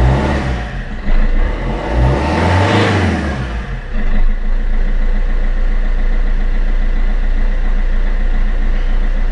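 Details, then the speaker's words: Fiat Punto 1.3 Multijet diesel, first start after fuel filter replacement and priming until no more gurgling: short crank, catches and settles into a steady, even idle with no stumbling or knocks; normal start and idle. "Là, il n'y a plus de glou-glou. Donc là, ça va démarrer. Voilà."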